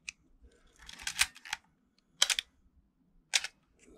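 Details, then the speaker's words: Canon A1 film camera after oiling gears to fix the Canon cough/squeak: crisp, dry shutter firing at 1/125 with no squeak or drawn-out groan, normal operation. "okay so that's all normal so that was on 125."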